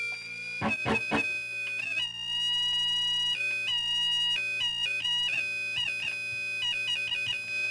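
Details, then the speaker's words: Dumble Overdrive Special clone amp build in overdrive mode, volume up: shrill steady tone over guitar notes ringing on between them; oscillation, cause unknown, amp also showing low output. "see there's my oscillation I was mentioning I don't know why that happens"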